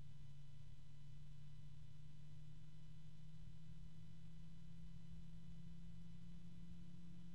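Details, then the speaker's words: Lian Li Uni Fan SL-INF 120 ARGB reverse-blade fan at higher speed: steady hum with distinct pure tones standing out above the airflow rush, a noticeably tonal, noisy fan. "so you can hear that this is quite a noisy fan to be honest and you would think that they would figure out a way to lower the noise"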